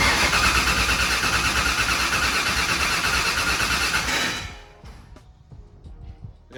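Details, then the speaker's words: Turbo hot rod on methanol, first start with 36-1 crank trigger: loud rough cranking and sputtering about four seconds then dying, with brake clean sprayed in; only about three psi fuel pressure, less than before. Hard start from low fuel pressure. "three pounds of fuel pressure it was you got some brake clean clearly it's not pumping quite as much fuel pressure as what we had"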